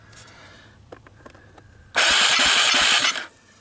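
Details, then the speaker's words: 1998 Honda TRX300EX single, choke on with jump pack, low compression (35 psi dry, under 60 wet): harsh one-second rev with ragged pops puffing back through the carburetor; owner suspects an unseated intake valve, not confirmed. "check out what it's doing when you give it throttle see the way it's kind of puffing back"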